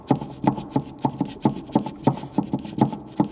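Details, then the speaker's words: Citroën C4 rear suspension: dry, hollow plastic clacks about three a second as the loose rear shock absorber bump stop is worked by hand; bump stop to be replaced with the assembly. "o mesmo o barulho está aqui gente olha não batente do amortecedor o barulho é esse"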